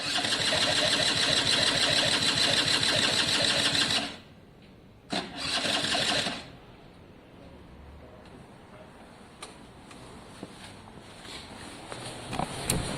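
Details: Italjet Formula 50cc two-stroke paddock bike, carb and new fuel tap refitted: rapid even cranking at about three beats a second that never catches, then a short retry; owner suspects too little fuel; no start from a wet fouled plug.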